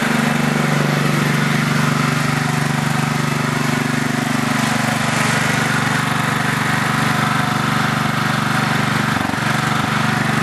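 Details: Craftsman LT4000 riding mower (roper project), small single-cylinder engine on two-year-old unstabilized gas, carb not yet cleaned, light regular tick about three per second at steady run; owner suspects valves, not sure.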